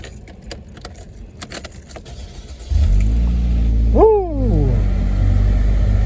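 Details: 2010 Chevy Equinox just after starter replacement: quiet, then the engine catches almost instantly, gives one quick rev and settles into a steady even idle; starting normally.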